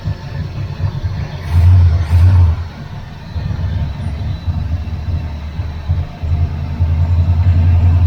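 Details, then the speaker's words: 1981 Chevrolet Camaro Z28 V8, carburetted, no choke, electric fuel pump disconnected and running on float-bowl fuel: low steady rumble with a couple of brief throttle blips, even beat; engine sounds good. "Oh, right. That engine sounds good."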